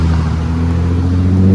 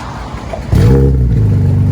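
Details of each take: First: Nissan G35 with Tomei exhaust, test pipes and wide pipe, after an exhaust leak repair at a muffler shop: clean, deep exhaust drone rising smoothly as the car pulls away, with no puffing or ticking; the leak is fixed. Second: Infiniti G35 with Tomei exhaust, Manzo test pipes and Megan Racing Y-pipe, at idle and revving: loud raspy puffing exhaust rising and falling with revs, from both flex pipes on the Y-pipe blown out, before repair.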